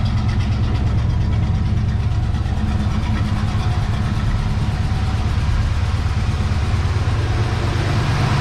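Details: 1970 Chevy C10 small block 305 V8 after replacing a bent pushrod and fitting new gaskets: steady, even idle burble with no ticking or knocking, good oil pressure, firing on all cylinders on both banks; repair successful.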